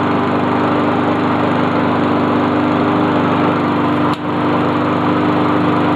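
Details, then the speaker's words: Honda lawn mower just reassembled, running from a true cold start: steady, even four-stroke drone with an unbroken rhythm and no misses or knocks; healthy. "She sure as hell sounds good."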